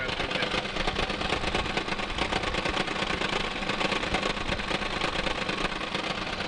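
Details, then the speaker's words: Car with dual clutch transmission, idling, microphone near engine: harsh busy rattling clatter; dual mass flywheel suspected, not confirmed. "it's got this really crazy noise I'm gonna start it up and I'll show you it's coming from what I think is the dual clutch assembly that is the dual mass flywheel that they got going on inside these stupid transmissions"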